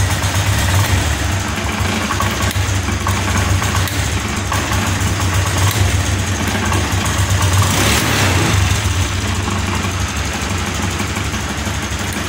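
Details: Scooter idle hunts with a stumbling, uneven beat and a dip partway through. New spark plug and new non-original injector fitted, fuel pump normal, but it still misfires. Faulty aftermarket fuel injector.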